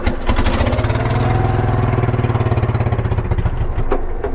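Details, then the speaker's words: 1980s ORVCO Transtrack UTV on a test drive, started in gear on choke: low, lumpy thudding pulses under load in first gear, running rough and clunky. Second gear won't engage, and the brakes are weak. "sort of got it running in first gear. Very clunky."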